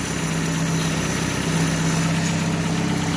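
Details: 2015 Chevrolet Aveo after re-tensioning a loose timing belt that was slapping the cover (tensioner bolt had loosened; not lifters or bearings): steady, even idle with smooth low hum, no tapping; normal idle.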